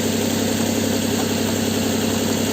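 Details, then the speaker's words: Car with a recently replaced intake and exhaust manifold, after a fuse fix and a dead battery: even, steady idle with a constant low hum and no knocks or misses; no check engine light. "It's running smooth, no check engine light."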